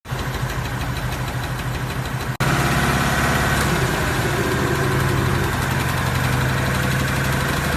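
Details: 2018 Ford Mustang V8 at idle: fast, light ticking about three ticks a second over a steady idle; engine tick, cause suspected but not confirmed.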